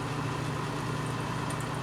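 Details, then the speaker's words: Heat Surge X5C portable electric fireplace heater, curbside find with a suspected failing fan: soft, steady low whir on the low fan setting, no rattle, scrape or wobble; running normally. "that's working so the low is working High let's put on high uh holy crap it's it's working sort of"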